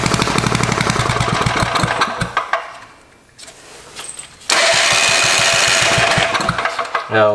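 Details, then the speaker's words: Barn-find Tecumseh four-stroke small engine, with points and ignition checked and freshly rewired, on choke: uneven lumpy firing about four beats a second that sags almost to nothing, then picks back up; rough running. "let's choke off had to choke all the way on oh [Music] that's pretty good suggest to throttle up just a little bit give it a little more choke"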